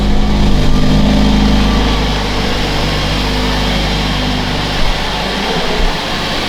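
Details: Mercedes W177 A45s first cold start after fitting a 200-cell sports cat downpipe with reused manifold gasket: deep steady four-cylinder burble settling from a higher start to an even idle, no ticking or puffing; no leak felt at manifold or joints.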